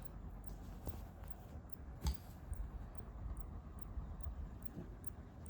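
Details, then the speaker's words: Spigen PE2302IN 65W GaN wall charger plugged into a working socket: faint sharp ticks about twice a second, repeated clicking with no output, device not charging with any cable. "the clicking sound is continuing. As you can see."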